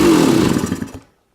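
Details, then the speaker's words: Yamaha YZ250 two-stroke started cold, about 42 degrees out, choke off, after throttle fix: crisp, raspy rev for about a second that cleanly dies away; engine pulls smoothly and runs better. "Okay. Yeah, she runs better."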